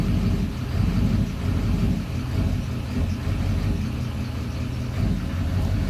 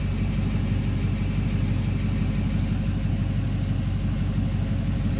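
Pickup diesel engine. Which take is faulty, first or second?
first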